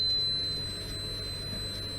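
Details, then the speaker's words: Automotive relay, multimeter continuity test across 30 and normally closed 87a with relay de-energized: steady high-pitched meter beep for two seconds showing continuity; normally closed contact good, normal. "see no continuity however supposed to have continuity and 87a because that is the normally closed see it"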